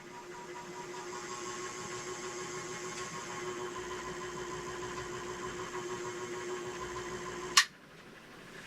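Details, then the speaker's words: Envirofan 160F 56-inch industrial ceiling fan motor on variable speed control, before blades installed (no load): quiet, steady mid-pitched hum with faint airy hiss, no rattle or grind; not too loud. "Let's see what the motor hum sounds like with the variable speed control. That's actually not too bad."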